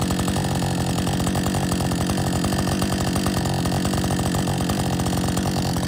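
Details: Husqvarna 562XP chainsaw, warm, back from the shop after dealer reflashed its software for dying when hot and stumbling; steady, even two-stroke idle with regular firing beat, never stumbling or fading. Normal idle, better than in a long time.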